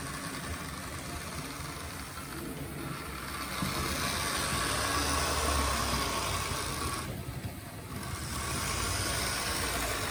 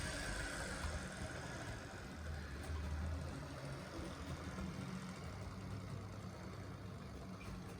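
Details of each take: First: Gutzold model locomotive on an H&M Duet controller, first test run: rough buzzing motor with a gritty whine swelling and dipping with speed; sounds like dry, worn gearing, possibly needing oil; cause suspected, not confirmed. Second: Secondhand Gützold model train locomotive after cleaning and greasing, low power: steady low whirring drone with faint rumble, even and unbroken; runs a little smoother, not quieter; normal running.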